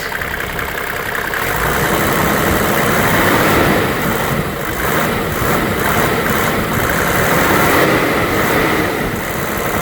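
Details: 1995 Mercedes E300 diesel (W124): an even diesel clatter at a steady idle with no misses or knocks. The engine is idling healthy.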